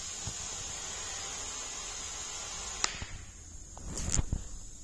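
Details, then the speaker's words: KrAZ-255B truck tyre (1300x530x533) during fitting: steady sharp hiss of escaping air for a few seconds, then cuts off as the inner tube seats. "o słychać że ucieka powietrze"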